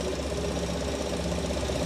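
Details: Chevrolet Colorado gasoline engine at idle after an engine oil change; steady idle hum with a light, quick ticking on top from the purge control solenoid, now reduced; engine bay hot.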